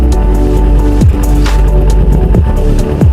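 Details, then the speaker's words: Used Kawasaki Ninja 250 FI, exhaust outlet blocked tightly to test the engine; even, steady low idle with slightly rough throb, no metal-on-metal knocking, engine judged normal. "ah motor gua ini Aman guys Ya karena memang suara Ninja Eva Itu Memang agak kasar gitu guys tapi terhitungnya normal"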